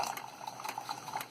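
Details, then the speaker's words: Keurig 2.0 K300 with a single motor-driven mechanical pump, running via a held switch before repair: light even buzzing hum with soft watery gurgles as it pulls water from the reservoir to the hot tank; pump running normally, though output is later seen to be slow. "There's the pump. So this one here, it's just one pump run off one motor. It sucks water from the reservoir into the hot water tank and pushes hot water out."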